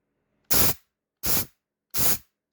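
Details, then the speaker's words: Nitrous system on a modified chainsaw, fitted with a different nozzle that spreads the spray: three short, sharp, cleanly cut hissing bursts with an even spray and no sputter. Earlier, too much nitrous sometimes choked the engine. "actually here i'll show you and it kind of spreads it out a little bit and i got a different nozzle in there"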